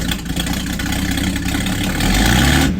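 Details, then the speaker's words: Open-pipe exhaust, muffler removed, on a 97-year-old Buick Standard Six after refitting a fallen pipe that had blocked the exhaust: loud, raw steady low beat climbing smoothly on the rev, no popping or choking; engine now breathing freely, running much better. "Yeah, it works much better."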